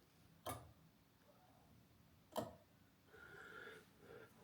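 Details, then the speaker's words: Jaguar MKII under reassembly, ignition on: automatic choke solenoid gives two sharp, separate clicks about two seconds apart, pulling in and releasing; solenoid working normally. "Flashing there, and unbeknown to you, which I will now stop, this is the automatic choke. Listen carefully."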